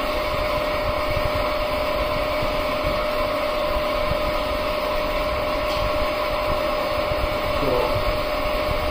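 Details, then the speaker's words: Slightly older motor during VFD rotational auto-tune, running up to 50 Hz in both directions: constant hum with thin steady whine and faint rough rustle of moving parts; mechanical noise from age, a new motor would lack it. "Ours is slightly an older motor, but if you have a new motor, there will be no extra sound, which moving part sounds won't be"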